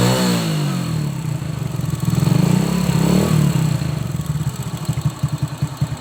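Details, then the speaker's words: Old Honda Supra X single-cylinder after valve clearance adjustment for clatter at the valve cover: revs then settles into an even thumping idle, only a faint tick left, possibly slightly worn valve tip or rocker. "Ini sudah tidak seperti tadi ya sebelum penyetelan klep. walaupun masih ada sedikit ya, itu bisa dikatakan barangkali ada pucukan pada klep yang sudah menatu sedikit, itu juga bisa ya."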